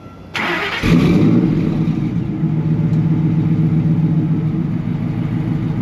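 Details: 2003 Ford F150 Lightning V8 tuned on E85, with a Bassani muffler, J&L catch can, ice box and AFCO heat exchanger: quick crank, catches cleanly, then settles into a deep, even burbling idle with no misses or knocks; healthy start.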